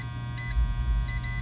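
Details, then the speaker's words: A steady high beep from a continuity tester with green light on an HVAC disconnect fuse over a low hum; continuity shows the fuse is good, though loosely seated. "now we're going to check these fuses put the dummy beep on you can see the green light and hear it"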